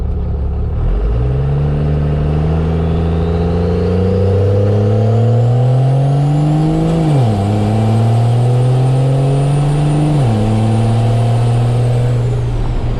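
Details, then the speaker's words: First-gen Cummins diesel truck, automatic transmission after over a year of extreme abuse, mild acceleration with locked shifts: drone climbs then drops cleanly at two firm upshifts, no second-gear sponginess or slip; normal shifting. "The shifts must be a little more solid. Definitely no sponginess in second gear anymore either. This is going to be mild acceleration locked shifts."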